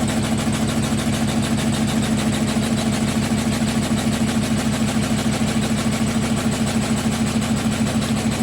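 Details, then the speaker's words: New GEDTECH GLL71200WH 7 kg, 1400 rpm front-load washer on spin: heavy thumping about three beats a second over a low drone as the machine shakes violently despite transit-bolt steps. Owner suspects something stuck; unconfirmed. "Elle bouge dans tous les sens. J'ai mis des couvertures partout. Mais là en fait vous voyez comment elle bouge et le bruit est très très bizarre."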